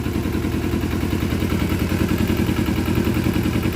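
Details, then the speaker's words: 2012 Kawasaki Ninja 250R after carb install, now running on its own fuel system: steady, even idle about three and a half beats a second, no misses or clatter; no leaks, charging at idle. "so now it's running on its own system everything is running on its own system"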